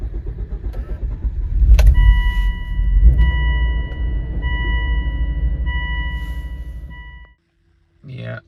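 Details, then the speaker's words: High-mileage Volvo XC70 P2 2.5T petrol, cold morning start after fixing a vacuum leak: starter churns about seven seconds over a warning chime before catching; long crank persists, cause still unclear. "you saw it, well, it hasn't fixed it. At least not the rough starting because in the morning, as you saw, it is still starting very poorly."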